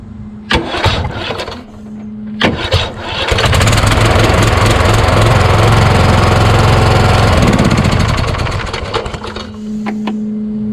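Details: Craftsman YS4500 lawn tractor repowered with a Kohler Courage engine, about 36°F: uneven, labouring crank of about three pulses a second bogging on each compression stroke; owner suspects a weak starter, not the Bendix gear, since valves are already adjusted to the limit.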